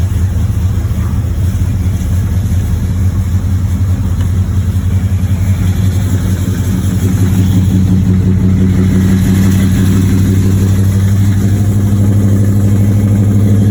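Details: 1986 Chevrolet Monte Carlo SS, 355 small-block V8, day 2 of driving with a bottom-end knock: loud, rough running with a steady low pounding that rises slightly with revs. Oil pressure good but lower than normal. Rod knock.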